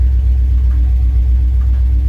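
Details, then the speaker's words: 1968 Dodge W200 Power Wagon, 383 big block, after topping up low oil: steady idle rumble with a recurring mid-pitched squawk; owner says not the belts but a bearing of some sort, unconfirmed. "well it sounds better but there's still a squawk somewhere if you can hear that the camera's picking it up that is not the belts that is a bearing of some sort"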